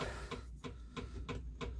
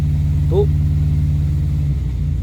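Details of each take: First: Morris Minor 4-door on jump pack (battery flat) after ignition barrel swap: ignition key on, electric fuel pump clicks sharply and evenly about three a second, engine not running; normal priming. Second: Morris Minor 4-door first start on key after new ignition barrel, with choke: low uneven lumpy idle that keeps stumbling; engine runs but missing, owner suspects points and plugs need cleaning.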